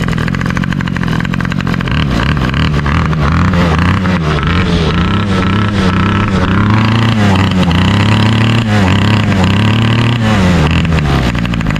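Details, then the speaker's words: 2003 Toro 51938 trimmer with a 25cc two-stroke, cold start that fired on the first pull; settles into a crisp, even buzz and revs cleanly up and down with no misses, healthy running. "man that was a sick cold start fought on the first pole that is insane"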